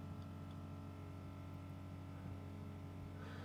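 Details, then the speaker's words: BMW X5 after rear left air spring replacement, compressor filling it via diagnostic routine: steady low electric hum and even motor drone, no knocks or rattles; air suspension compressor operating normally. "start that's the compressor going there now so the compressor excuse me is running you can hear it probably"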